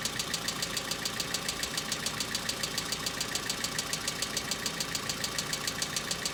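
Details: Hyundai Accent cold start, about -2 to -3°C outside: fast, even ticking three or four per second over cold idle, hydraulic lifters clattering until oil pressure fills them; owner says it now recurs and lasts longer than in summer.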